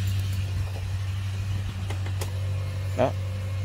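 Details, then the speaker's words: Yamaha Sirius Fi fuel-injected motorcycle, key on after replacing the dead battery: steady low electric hum from the fuel pump priming evenly without stutter, no error shown; normal fuel pump priming. "bơm xăng Nó hoạt động bình thường lại đây Ngã bây không báo lỗi nha"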